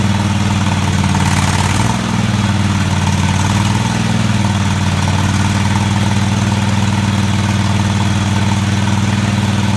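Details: Craftsman DGT 6000 engine after reassembly (new fuel line, fuel pump mounted), first run: even, steady low chugging at idle holding a constant beat, no knocks or misses — normal idle.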